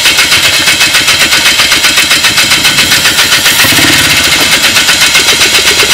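A small engine runs with a sharp, popping beat about four times a second, misfiring and uneven.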